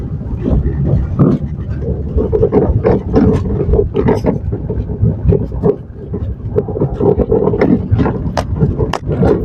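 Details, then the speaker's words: 2017 Maruti Suzuki Swift Dzire driving downhill on rough road: irregular sharp knocks and clunks from below the steering on the right side, steering rack noise from a worn rack bush. "നമ്മൾ ഈ കുന്ന് ഇറങ്ങുന്ന സമയത്ത് ശരിക്കും sound കേൾക്കാൻ പറ്റും കണ്ടോ right സൈഡിൽ കറക്റ്റ് സൗണ്ട് കേൾക്കാം"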